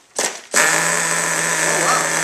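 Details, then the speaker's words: RC nitro engine, recently modified and started after priming with the glow igniter on: a sharp pop, then it catches and holds a steady high buzz; owner expects it to stall once the igniter is pulled, cause unconfirmed. "there we go I guess I got lucky but it started oh who there we go this is another thing to talk about it started right up but what you can see is it's probably going to stop when I pull this out"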